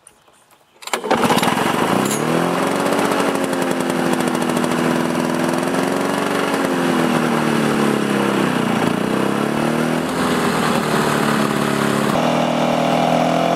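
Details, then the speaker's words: 2-stroke Lawn-Boy mower after replacing broken carburettor throttle lever (part 93-1225) and washing air filter: fires after a second, runs steady and even, revs rising and falling smoothly with throttle; healthy. "As you can see, it's an easy repair to do."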